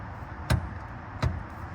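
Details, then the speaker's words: Mustang passenger-side rear axle rocked by hand: two sharp, deep clunks about three-quarters of a second apart, less severe than the other side but still showing back-and-forth free play; worn rear axle. "Here's the passenger side one. At least it doesn't sound as bad, but it still shouldn't have play back and forth like that."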